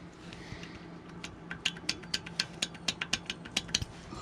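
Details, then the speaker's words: 2020 Polaris RZR Pro XP front wheel rocked by hand before replacing the stock OEM bearing: sharp metallic clunks about four per second from a loose, worn front wheel bearing, the cause of the steering pop and clunk. "and that's the sound you're gonna get that's gonna give you a lot of feedback and make it sound like something's loose and and broken"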